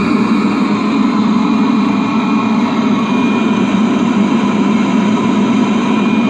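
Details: Webasto parking heater on a 1999 Seat Alhambra 1.9 TDI, after repair: even, steady roar of burner and blower with no surging, popping or rattles; normal operation.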